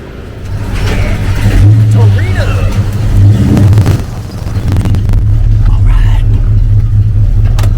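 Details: 1971 Ford Torino GT on a road test after no-start and other repairs: a steady engine drone rising and easing with throttle, no knocks or squeals; it runs normally and only needs an alignment.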